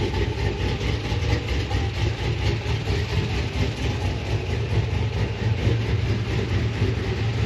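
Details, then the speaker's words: 6.0 SS Silverado V8 after Brian Tooley Stage 4 truck cam swap and tune, next-day start: deep steady rumble with slightly choppy idle beat, no knocks or ticks; clean cammed idle. "damn that sounds good huh it feels a lot better too"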